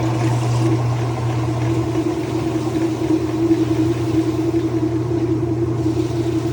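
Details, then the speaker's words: Flood-damaged Whirlpool washer after Hurricane Milton, tested with the door switch bypassed in drain and spin after settling frozen legs: smooth, steady motor hum, no grinding or scraping, basket turning freely; normal spin. "Let's check it with a bypass or door switch, and we should go into drain and spin."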